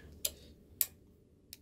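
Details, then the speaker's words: Suburban RV furnace control board (SF-30F/SF-35F) with 12 V present past the high limit and sail switch; sharp isolated relay clicks over a low hum with no blower, working intermittently as the board is moved, suggesting a failing relay or wiring fault. Replacing the control board fixed it. "so when it was in this orientation there you hear that clicking sound so there's a source somewhere it might be on the board by moving this around I'm getting it to work and not work there"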